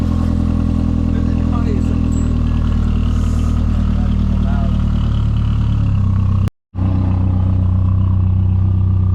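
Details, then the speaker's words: BMW Z3 four-cylinder with half its exhaust removed during diff/axle repair: deep, loud, raw drone with throaty pulses rising slightly with revs. "If you ever wonder what a four cylinder sounding like with no missing half its exhaust, that's what it sounds like."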